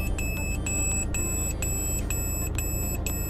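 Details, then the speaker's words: Peugeot 308 reversing at night: owner-installed aftermarket rear parking sensors beep rapidly, three or four a second, over a low engine hum as an obstacle nears; close-range warning working normally. "Aici sunt senzorii de parcare. Ceea ce se aude sunt senzorii de parcare aftermarket instalați de mine."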